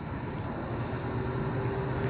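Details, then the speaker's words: About 14-month-old AAON unit, 1 HP 460V three-phase Baldor fan motor on a VFD, after replacing bad bearings: quiet, even fan hum with no bearing growl or grinding, quieter than before; normal fan motor running. "was sounding about like a Goodman before with the bad bearings now it's sounding like how an ion is supposed to sound"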